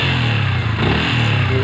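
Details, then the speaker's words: Yamaha Vixion engine: a thin, steady high whistle, described as "cir cir cir", rides over the engine as revs drop when the throttle is released; the source is on the left side of the engine, and the fix starts with draining the radiator coolant. "Dari mesin itu ada seperti bunyi seperti apa ya, peluit ya, cir cir cir gitu ya. Ada di saat gas turun gitu."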